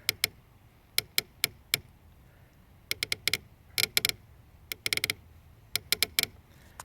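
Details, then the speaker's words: H2Pro-Ped drive, left upper bearing: sharp irregular creaks in clusters as the drive is loaded sideways and released; bearing itself smooth, but the assembly shifts in its housing under load despite tight screws; opposite side silent. "when I push down in sideways towards the inside the bearing creaks lift up it creaks down up down up down up down up it's coming from right here"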